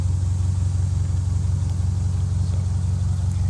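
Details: 2002 Subaru Outback Legacy GT, 2.5 SOHC, manual, after new engine swap; steady even low rumble, regular pulse near three beats a second, no knock or tick; normal healthy idle.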